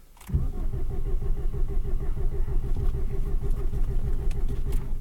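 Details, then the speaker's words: Newly installed engine that ran fine until a pop/hiss while revving, oil in coolant: starter cranks steadily around two beats a second, even rhythm, no firing even with more gas; owner suspects one cylinder lacks compression, spark, fuel or head gasket. "No change. So it may be one cylinder doesn't have compression or something like that, and we'll have to dig into it, but that's where we're at right now."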